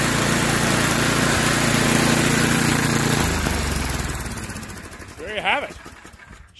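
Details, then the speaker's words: Yard Machines by MTD 26-inch snowblower, Tecumseh 8 hp engine, that surged at idle. After the carb screw was cleaned (soaked in carb cleaner, wire-brushed), it holds a steady, even beat with no hunting, then winds down. Huge difference from before; normal idle after repair. "uh that's a huge difference uh in how it was running before"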